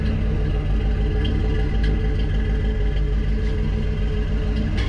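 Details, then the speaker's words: 1961 Chevrolet Parkwood wagon with new exhaust, power steering reservoir empty: thin steady whine over a loud, lumpy V8 exhaust rumble. The power steering pump whines from low fluid; slight popping also heard, so tuning is still needed. "yeah she don't sound terrible exhaust sounds pretty good power steering pumps definitely whining"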